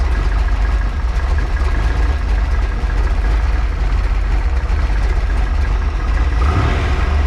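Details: Freshly built 408 stroker small-block Ford Windsor on break-in oil, warm: steady, even low rumble with no knocks, ticks or misses; idling smoothly and healthy.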